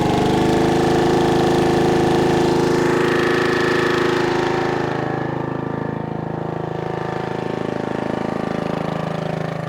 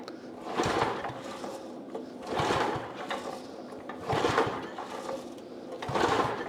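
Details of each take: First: 1996 Brave log splitter, about 30 years old, revived after its engine had seemed to seize; splitting wood outdoors on a cold, windy day, the small single-cylinder engine chugs steadily with an even beat under load; healthy. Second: Thirty-year-old Brave log splitter, freshly fueled with the shut-off valve on: four slow pull-start cranks that turn the engine over, but it never fires, a crank-no-start; spark check follows.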